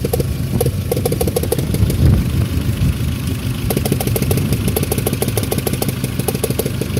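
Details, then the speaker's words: Daewoo Nexia 1.6, in -17°C weather, after oil and filter change: steady idle with light quick tapping about three per second from the upper engine; owner suspects something loose under the valve cover, not confirmed. "во-вторых звук все-таки выявился где-то так сказать материализовался выпал на поверхность наверх определился уже так сказать уже понятно где искать"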